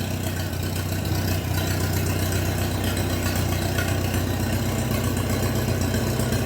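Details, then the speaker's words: Minneapolis Moline BF tractor engine after an in-frame rebuild for blow-by (suspected ring job), idling without exhaust or muffler before the muffler is fitted: loud, open, even thumping with no misses or knocks, a normal unmuffled idle. "That's what she sounds like without the exhaust."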